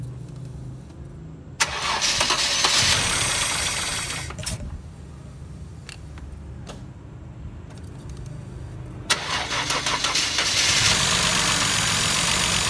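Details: Mercedes-Benz W124 engine just reassembled after cylinder head refit: long bursts of regular starter churning, about three turns a second, catching on the fourth attempt once fuel filled the injector supply; extended cranking from empty fuel supply.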